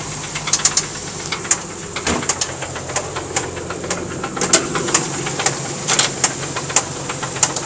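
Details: 1990 Nissan 300ZX Z32 non-turbo blown engine at idle: sharp, uneven metallic knocks several times a second; rod knock on cylinder #4.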